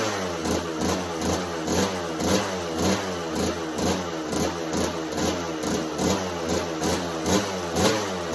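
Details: 1986 Kawasaki KX125 two-stroke in neutral with choke held up and a new NGK BR10EG plug. It runs with a rough, surging beat about twice a second and won't idle; the new plug didn't fix it.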